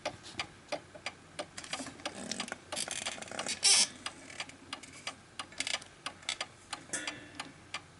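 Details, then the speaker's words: Antique 1920s 8-day Napoleon hat mantel clock after pushing left/right to find the middle ground: crisp ticks about three per second, tick and tock evenly spaced; the clock is properly in beat. "that the tick and the tock are evenly spaced."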